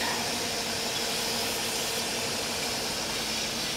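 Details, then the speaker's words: 1998 Mercedes S420 running with foot off the pedal, no check engine light: steady airy hiss over a quiet engine; sounds like a vacuum leak but spray and smoke tests found no leaks. Car has no acceleration, cause unknown, fuel suspected. "I have done all I can for this car I've sprayed all in here there are no leaks it sounds like there's a leak"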